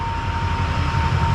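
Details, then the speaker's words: Newly installed turbo diesel engine at its first start, warming up at idle: a steady, smooth rumble with a clean, even turbo whoosh and no knocks, rattles or misfire. A low coolant warning is showing; oil pressure is present. Healthy idle. "it sounds really good the engine's nice and quiet sounds super clean the turbo sounded real nice I don't know if you guys can pick it up on the camera but I hear the woo I hear a whoosh"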